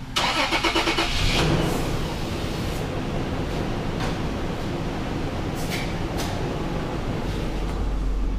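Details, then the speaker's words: Toyota 4Runner 4.0 V6 after replacing leaking head gaskets, fresh 5W-30 oil: brief crank, quick catch, smooth even idle, no knocks or ticks, no check engine light; normal start and idle, running well. "check engine light no lights I don't hear any noises it's running well"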